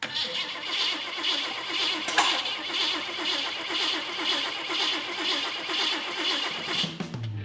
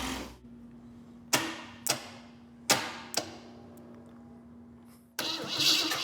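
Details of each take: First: VW bus hot rod with AMC engine on Plymouth frame, new wiring and fuel pump running: starter cranks steadily for seven seconds without firing; cranks but won't start, suspected firing order issue. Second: VW bus hot rod with AMC engine on Plymouth frame, different coil fitted: heavy clunks and cranking bursts, then catches and settles into a strong even run with no knock; good engine.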